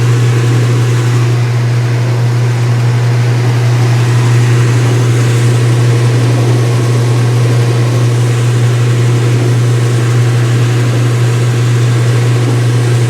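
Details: Speed Queen washer, front panels off, white bed sheets, on wattmeter: high-speed spin settling around 500 watts, steady low motor hum with even whir, no knocking, banging or scraping; normal.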